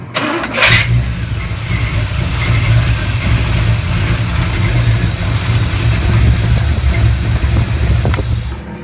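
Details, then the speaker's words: GM V8 with a points-style distributor, plugs gapped at 45 instead of 35: catches and settles into a slow, heavy, loping idle with deep uneven thumps. Estimated at 350–400 rpm while the tach read about 1,500. Slow idle. "this engine was probably running a 350 400 RPM real real slow and for some reason it was reading like 1,500"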